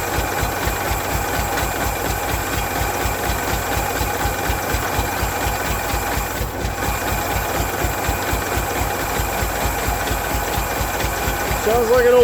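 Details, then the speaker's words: Derelict 1992 Ford Flareside six-cylinder, cold day, running on its own fuel at 57 psi fuel pressure: lumpy, uneven loping chug at about two beats a second, not firing on all six cylinders; misfire. "tractor out back of the exhaust that kind of tells me it's not hitting on all six cylinders yeah i'll let it just keep stumbling along"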